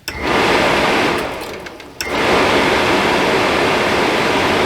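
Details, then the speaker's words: Suburban RV furnace that was short cycling and faulting out, bench-tested with gas on and thermostat wires twisted: blower spins up to a steady airy rush, dips briefly, then holds an even whoosh; normal blower startup. "should fire right up well did you hear it yeah it fired right up so I'm going to let it run here for a little bit"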